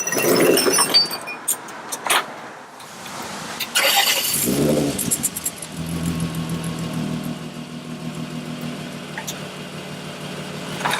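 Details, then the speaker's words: 2003 Winnebago Rialta engine cranking, catching and settling into a steady, even idle with no exhaust puffing, after an exhaust leak was repaired. "Sounds good. Looks like we got rid of it."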